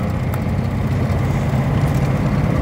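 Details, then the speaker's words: 1949 Armstrong Siddeley Lancaster 16 hp after chassis and suspension repair: loud, low, lumpy idle, missing rather than smooth. Owner plans new plugs; a knocked-off lead was also queried, cause unconfirmed. Engine misfire. "she doesn't seem to be firing properly she's missing at the moment I'm going to get some plugs for it yeah she's Miss firing"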